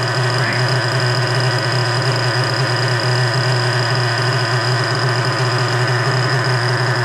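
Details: 3.3 engine after rebuild with both bearings replaced, idling after carburetor low- and high-speed screw adjustment: steady, even idle with a constant low drone and no hunting or stumbling; now idles smoothly.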